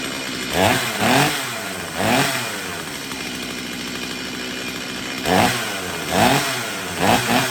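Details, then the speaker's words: Stihl MS250 in a cold-morning cold start after carb tuning for a won't-restart-when-warm fault: it settles into a steady idle, and throttle blips rev up and drop back cleanly, so it runs healthy. "so yeah let's give this thing a little test run right now cold start foreign"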